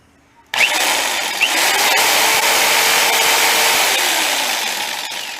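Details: Cheap jigsaw after repair, thicker metal plate bolted onto its flimsy base, running with no load: high steady buzzing whir holding even, then easing slightly; healthy.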